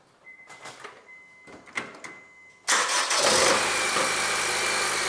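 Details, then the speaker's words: Honda engine that cranked but would not start, after repair: loosened engine-block ground (minus) cable bolt found and tightened; it now starts at once after a few chimes and clicks and settles into a steady, even idle. "And now I go to start my car, that we can hear that how this engine really starts."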